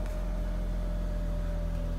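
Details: Car that had no ignition, no crank and no start, running after the blown main fuse was replaced: low, steady idle rumble at an even pace with no misses or knocks; normal idle.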